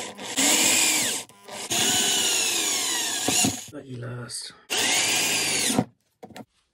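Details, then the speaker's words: Cordless drill that had smelled burnt and stopped working, reassembled after carving out melted plastic: spins up in bursts with a rough, rattly grind over the motor whine; loose broken internal pieces are moving around inside and breaking further. "still sounds like crap because of that please moving around on the inside"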